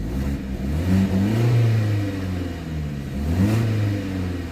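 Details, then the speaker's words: 2008 BMW 116i 1.6 petrol, after repair of rough idle and misfire with ECU code 29D0: smooth throttle blips, pitch rising and falling cleanly without stumble or popping; engine now runs really smooth. "so before we would well you've seen on the smooth-running so yeah you've seen you've seen down the smooth running before and now the engine is running much better now let me go at the front and show you actually it's running really smooth now"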